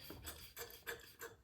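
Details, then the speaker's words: Troy-Bilt 28-inch snowblower that wouldn't start, carburetor cleaned and refitted, key in run: four evenly spaced squishy primer bulb pushes, fuel audibly moving; primer feeding gas properly. "I can hear and see gas."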